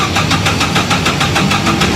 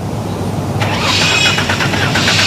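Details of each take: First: Four-cylinder engine cranked on the starter with throttle slightly open, a recorded good example: steady, even beat of about six pulses a second with no lighter or uneven strokes; even cranking compression across all cylinders. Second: Six-cylinder Torana cranking for a compression check: the starter beat is uneven at about three pulses a second, with one cylinder weak each turn. Number six had low compression; teardown found broken top rings on all cylinders.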